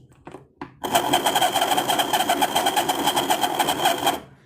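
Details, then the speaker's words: Mantua 4-6-2 Pennsylvania steam locomotive model, motor run wide open on bench power before oiling: fast, rough buzzing whirr with a rattly, uneven edge; bearings reported as really badly worn. "So, I think we've like like they said, the bearings are uh really really worn."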